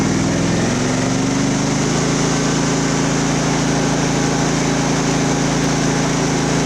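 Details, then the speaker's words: Craftsman riding mower, Briggs engine, throttle slowly opened: drone rises then holds with an uneven wavering pulse, running rough; air possibly sucked at the fuel filter, carburetor to be inspected next. "Well, it's got its issues. It's probably nothing we can't figure out."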